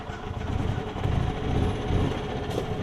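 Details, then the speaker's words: Yamaha golf cart engine warm after a two-mile ride, air-fuel screw adjusted after the carb bowl drain and jet flush: low steady rumble that picks up cleanly under load without stumbling. Normal running. "really really good i think i gotta adjust about as good as you can get it so you can hear it when i load it up too so it picks up right there so we're good"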